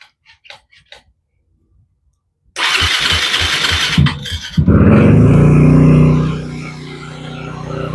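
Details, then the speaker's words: 2006 Yamaha WR250F with FMF Q4 exhaust, sat about six years, carb rebuilt, new water pump, fuel tank cleaned; starts after some clicks into a lumpy uneven idle but will not rev; cause unknown. "But yeah, it runs, and I'll fire it up so you can hear it, but it does not rev. So obviously there is something wrong with that."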